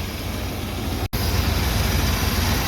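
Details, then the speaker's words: 1978 Chevy C10 V8 on new plugs and wires after an oil change, idling to warm up: smooth, even low idle apart from a brief dropout; sounds healthy. "We're gonna sit here and let it idle for a little bit. I want to let it come up to temperature and let the temperature rise up where it should be."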